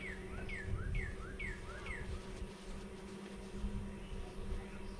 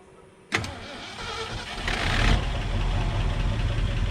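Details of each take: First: Ford F-350 with low-mileage engine, sitting 5-6 years, on a weak substitute battery, fuel fed by hand: cranks and churns without catching after briefly firing; cranking not fast enough and owner believes it flooded. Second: Ford F-350, low-mileage engine sitting 5–6 years, started on a weak battery by pouring fuel in with the tank line disconnected: brief crank, then catches and settles into a steady, low, even rumble with no misses; normal running.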